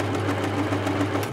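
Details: 1980s Singer Futura sewing machine running after a drop of oil on the noisy bobbin case hook: even, quick stitching rhythm with a low steady hum and no hook clatter; running smoothly and quietly.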